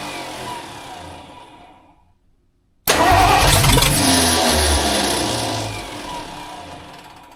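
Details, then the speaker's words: Rebuilt budget 302 V8 in a tow truck at its first start-up, with a newly fitted clutch, flywheel and distributor. After a pause it barks into life, roars rough and uneven, then sags away; it fires but won't keep running. "We've got her super close to busting off, guys. Give her a little sniffy sniff. I don't expect it to run good or sound good. I just want it to bust off for like 3 seconds."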